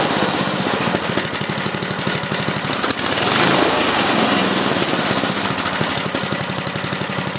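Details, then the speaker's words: Older 8HP Briggs & Stratton engine on an old Lawn-Boy two-stage snowblower after carburetor cleaning, mixture screw turned half a turn clockwise to lean a rich run; steady even beat, crisp exhaust pulses, no misses; normal idle. "but at least today we know that the engine runs good"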